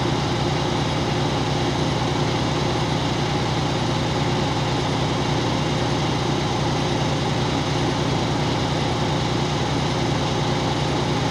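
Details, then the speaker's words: Truck at idle in neutral during California air brake cutout test: even low diesel idle with steady rhythmic chug, no knocks or air leaks; compressor building pressure normally. "I'm looking at my primary gauge right now and it's slowly moving up remember your cutout test it's not more than 140 PS I looking at that needle and I'm going to call that out as soon as it stops moving"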